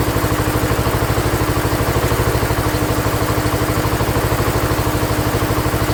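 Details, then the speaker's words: Ford LGT145 garden tractor, year unknown, bought from a parts yard; after head gasket work and carb set to factory specs, even, steady thumping idle with regular firing beat, no misses or rattles; runs healthy. "runs amazing with the head gasket."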